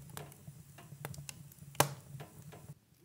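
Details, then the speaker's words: Cast-iron wood stove heating up during lighting: irregular sharp ticks and creaks with one loud snap over a soft fire crackle; this is normal thermal expansion of the metal, nothing wrong. "parfois on entend ce grincement ce grincement provient du poil qui est en métal et avec la chaleur et quelques effets de dilatation qui se produisent même si c'est de la fonte et donc c'est un bruit qui simplement tout va bien"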